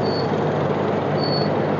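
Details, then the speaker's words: Maruti Wagon R that hunted and misfired after a service; spark plug gaps checked and adjusted. Petrol engine now idles evenly and stably with no stumbles, misses or hunting. "और engine अब stable हो गई है कोई hunting नहीं कर रही है"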